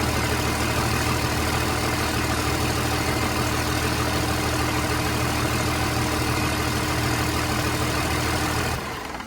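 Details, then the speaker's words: 29-year-old TimberJack 450-C skidder diesel, sitting 8 years, just started with ether, hydraulics working: steady even idle with regular low beat, no knocking, misfire or rattle; runs healthy, blow-by check next. "This thing runs so good. Let's check the blow by."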